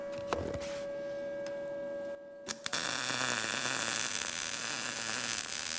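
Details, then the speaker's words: Arccaptain MIG200 inverter MIG welder on an inside corner joint, retried at 19 V and 153 after the previous setting gave the bacon-frying sound but seemed slightly cold; steady, even frying crackle after a low hum, no pops; judged not too bad. "the Heat and the amperage are good together because you've got that bacon frying sound but I do think I could go a little bit hotter with that"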